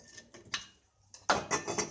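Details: Washing machine transmission box bearing, water-contaminated with grease washed out, turned by hand: dry, gritty rasping bursts of a rough, worn bearing; bearing and seal replaced as they were seizing the shaft.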